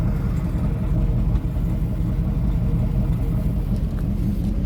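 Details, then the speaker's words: Firebird Formula F-body, family-owned 22 years, being revived: heavy low rumble holding steady at idle, no knocks or ticks; normal healthy running before a drive. "Definitely sounds good."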